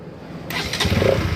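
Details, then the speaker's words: Bajaj Pulsar NS 200 BS6 after fuse checks and fuel pump heard priming: brief starter whirr, engine catches on first press and settles into steady low idle — normal quick electric start. "देखिए गाड़ी हमारा एक self में start हो गया दोस्तों। Starting में किसी प्रकार का कोई दिक्कत नहीं है।"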